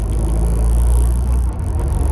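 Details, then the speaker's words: Renault Clio turbo track car on first drive after taped-intake boost leak check, bigger Sytec fuel pump, custom 2-inch boost pipes: steady deep drone pulling smoothly under load, no flutter, whistle or hiss; good temperature, holding boost fine. "Just on a first drive, and seems to be alright. Golden temperature, everything feels fine, it's holding boost fine."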